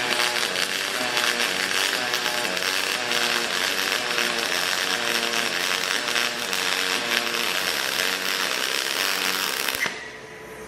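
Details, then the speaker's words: HTP Revolution aluminium pulsed-MIG weld on a coffee pickup truck frame, double pulse at the machine's basic default setting, torch weaved and pushed forwards: steady welding crackle whose pitch rocks between high and low about three times a second, normal. "so that's the double pulse you can see where it's change the frequency of the pulse and all sorts of stuff but that's just the basic as the machine sort of comes setting for that"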